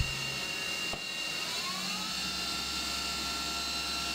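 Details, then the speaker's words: CNC mill cutting the AR15 gas block bottom side with a 3/8 inch rougher, full slot, deep depth of cut on a not super solid fixture plate; steady high spindle whine over an even cutting hiss, no chatter or squeal, a smooth roughing cut. "this is a full slot with a 3 8 inch rougher pretty deep depth of cut there and wow that sounded great"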